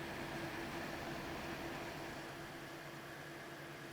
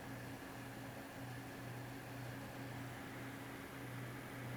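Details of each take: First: GTX 980 Ti graphics card, reported crashing in games, before cleaning: loud rushing air with a thin whine from fans at high RPM. Hotspot peaked around 89°C, core mid-70s. Owner suspects old, dried thermal paste. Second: Zotac AMP Extreme GTX 980 Ti, reportedly crashing in games, under benchmark load after thermal paste change: steady soft whir, low hum, faint high tone; fans about 320 RPM slower and quieter, core and hotspot 11°C cooler; normal fan noise.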